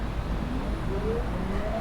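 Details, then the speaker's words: Haswing brushless trolling motor on a Hobie Outback kayak with an aftermarket potentiometer, running in reverse: smooth motor whine climbing in pitch as it speeds up over a low water rumble, no grinding or rattle; reverse works normally. "same thing in reverse so everything works fine"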